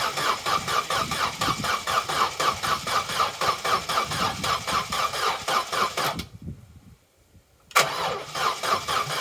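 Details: Vauxhall Corsa B that sat neglected 4-5 years, cranking after fresh fuel added: starter drags engine at about four sluggish beats a second, pauses, cranks again, never catches; owner suspects weak battery. Slow cranking, no start.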